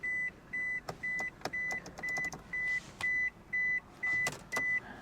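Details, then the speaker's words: Vehicle at salvage auction, jump pack connected, hot day: steady warning beep about twice a second with clicks, engine not turning over; no-start, cause unknown. "uh-oh [Music] what's going on here no she's not gonna run"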